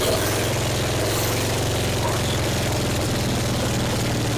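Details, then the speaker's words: 1966 Triumph Spitfire MK II, abandoned 41 years: a low, steady throbbing idle with slight roughness, now running on its own fuel after backfiring through the carb; very loud from a large exhaust hole. "we got it to run under its own fuel that time yeah backfired out of the carb okay good"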